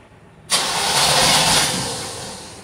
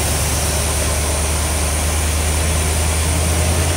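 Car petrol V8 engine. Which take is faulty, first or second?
second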